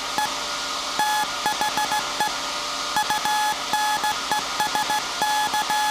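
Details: SAQ Grimeton 1924 Alexanderson alternator VLF transmitter on 17.2 kHz CW, December 1st 2024 centennial transmission: clean steady short and long beeps in even Morse rhythm over constant hiss; normal CW keying.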